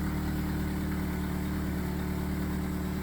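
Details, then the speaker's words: 2011 Chevrolet Malibu after throttle body, sensor and gas pedal replacement for loss of power and rough idle: low smooth drone, steady with no hunting, dips or misses; idle about normal, check engine light still on. "Make sure there's no leaks in my air intake anywhere. Idling about normal there."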